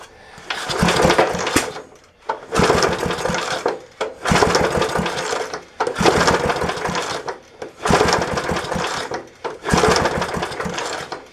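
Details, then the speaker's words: 1966 Briggs & Stratton lawnmower, premix poured into the carburetor: six rough pulls, each coughing briefly and dying; the fallen handle pulled the cable and grounded out the ignition. "so when the handle fell down it uh pulled the cable over and shut it off so it was grounding out that's why we weren't getting it started here"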